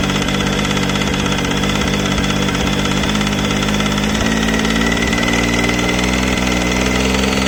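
Steady idle with faint light ticking riding over the engine note, roughly two per second; a top-end tick, cause not yet pinned down. Cause suspected, not confirmed.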